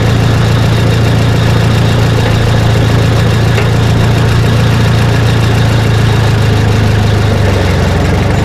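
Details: Case LP DC4 tractor on liquid propane, distributor ignition instead of magneto, said to sound different from the gas version: low, steady thumping idle holding an even beat without misses or knocks; engine runs well.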